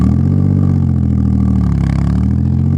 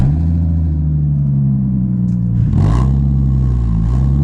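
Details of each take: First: Audi S4 after home exhaust modification: deep, even low rumble at steady rhythm with no rasp or clatter; still loud but healthier and much better than before, little drone. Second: Audi S4 straight-piped from the cats back, with only two rear silencers and exhaust wrap, heard from inside the cabin at about 60: deep, steady booming drone; excessive exhaust drone.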